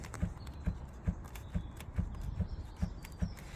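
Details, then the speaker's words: 2013 Fiat 500 Sport: dull knocks about twice a second as the boot lid is worked by hand; slight rear rattle, owner suspects the loose, not-solid boot lid needing readjustment, not confirmed. "still got a slight rattle coming from the rear and I think that is to do with this boot again"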